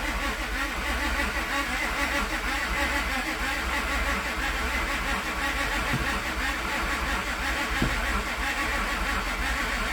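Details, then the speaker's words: Car, crank-no-start, scan tool showing no RPM signal (crank sensor suspected): engine turns over slowly, about below the expected 450 rpm cranking, starter dragging, engaging and disengaging, never catches; failing starter. "RPM is pretty slow. I wonder, because I'd imagine I need to be around like 450 or so. It's dragging."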